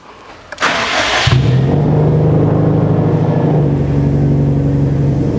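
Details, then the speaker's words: Car with a suspected failing battery, started on a booster pack to test the alternator; about half-second crank, then catches and settles into steady idle. Charging output afterward measured 14.5 V, good. "So as you can see, the car starts with the booster pack."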